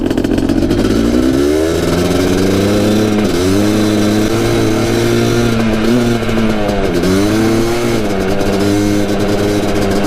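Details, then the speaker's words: 1988 Suzuki LT500 Quadzilla after a full teardown and improvements: crisp, clean revs rising and falling smoothly with a steady idle and no misses or knocks; it runs healthy and better than before. "Runs minty. Listen to that idle perfectly and everything."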